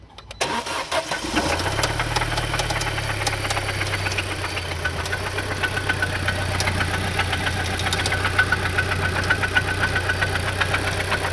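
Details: Audi B7 A4 petrol engine cranks, starts and idles with a steady rapid knocking tick. Verified not the timing chain or tensioner; cause unknown.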